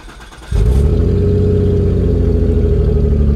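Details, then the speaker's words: Car with whole exhaust removed before fitting new: engine catches into loud, deep, throbbing unmuffled rumble, V8-like once idle drops; running with open exhaust. "all right that sounds really good and once the idle drop down it kind of sounds like a v8 just a little bit it sounds really good oh man holy smokes this sounds so good straight piped"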